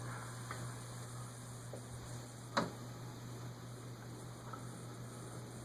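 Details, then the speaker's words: Newly installed Nutone Hacienda PFH-36 36-inch close mount ceiling fan running: steady low motor hum with a few sharp irregular ticks, one louder click; judged a blade noise, possibly loose veneer on a cracked blade. Suspected, not confirmed. "what's that sound ah something's still ticking though yeah my slim wine also ticks on high"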